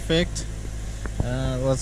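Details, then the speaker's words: 2007 Mazda 3 after replacing the faulty starter, battery reconnected, car still raised: engine catches and settles into a steady, even low hum with no misses, knocks or starter grind; normal idle. "we're gonna hook up the battery and start it up all right one more time before we put it on the ground"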